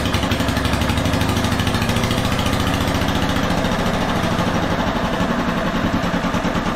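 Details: RamX hydraulic trench compactor with a transplanted military surplus small diesel, just started with ether over the intake, gives a harsh, very loud rapid clatter at a steady idle; it runs fine but has an open exhaust with no silencer.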